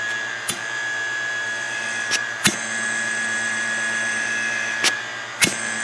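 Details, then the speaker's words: Land Rover Defender 110 300Tdi cyclone separator off the car, bench-tested with a vacuum pump: steady high whistle with sharp snaps as the diaphragm moves; separator diaphragm working normally. "i can either i can hear the diaphragm working there"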